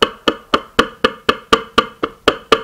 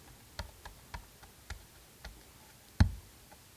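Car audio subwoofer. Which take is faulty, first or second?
first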